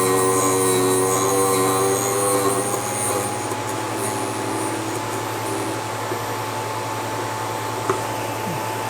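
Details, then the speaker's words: Vevor drill bit sharpener set to 118 degrees: steady small-motor hum with a gritty grinding hiss as the bit is pushed in gently and rotated until the grinding stops, the normal sharpening sound. "push it in gently until you hear it grind rotate it until it quits grinding you'll hear it"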